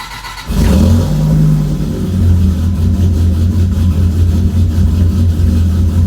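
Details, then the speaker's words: Dodge Viper cold start after sitting unused for a while, in the owner's garage: the engine catches and settles into a deep, steady, even fast idle with no misses or knocks, loud enough to annoy neighbors. Healthy normal cold start, no leaks. "cold [Music] really good way to piss off your neighbor"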